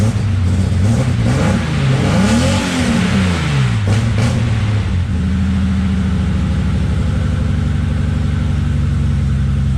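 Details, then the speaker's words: BMW E30 325is six-cylinder, sitting for years, fuel pump jumpered from another fuse: revs up and down a couple of times, then settles to a steady even idle; runs, no power on pump wire, main relay harness suspected. "I jumped it off of another fuse and it fired right up."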